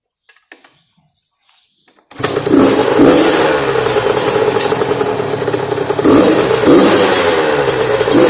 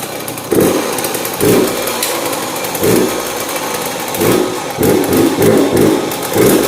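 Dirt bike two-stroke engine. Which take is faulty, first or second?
second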